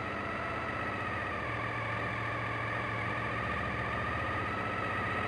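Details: Suzuki TL1000S held at 2,000 rpm while checking throttle body synchronization: even, steady drone with no misses or uneven beats. The twin sounds well balanced and healthy.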